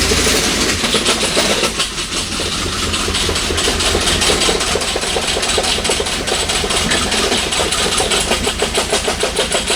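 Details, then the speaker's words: Toyota engine, barely idling and stalling, rough idle with fast, fairly steady knock about three per second; owner suspects rod knock, not confirmed. "i don't know if you guys can hear that on camera but it really does sound like a rod knock"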